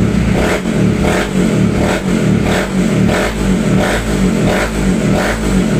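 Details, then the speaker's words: Raider J110 motorcycle that would not start, despite a new battery and spark plug. After two broken wires were repaired and the rectifier socket given a new terminal with the wiring returned to stock, it catches and runs cleanly through throttle blips: normal running. "tapos yung rectifier nga niya binalik sa original yung linya so after na gawin ni boss Ryan yun umok na yung motor ni boss no"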